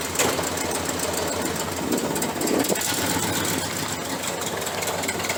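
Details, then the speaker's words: 1968 Chrysler 300 with a 440 V8, warm after running outside. It idles with an uneven lope and occasional stumbles under a steady roar, suggesting a misfire: rough idle. "I think all of that noise and racket that was going on when I pulled it inside the warehouse, I thought we got a plug wire off over here. No wonder it's not idling quite right."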